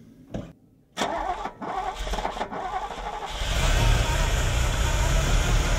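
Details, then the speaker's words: Ferrari with K-Jetronic, start after cleaning and greasing fuel metering unit contacts and reassembly: brief crank, catches cleanly, builds smooth rising rev with no stumble or misfire; normal start and rev. "okay all right guys put it all back together let's check it's all working"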